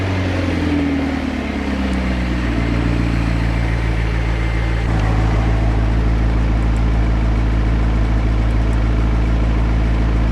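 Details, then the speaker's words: McLaren 650S V8 cold start: a strong, even idle settling to a lower steady beat with no knock or misfire, and no smoke. The low engine oil pressure fault persists. "No more smoke. All right, let's see if we can figure this out. All right, no more smoke."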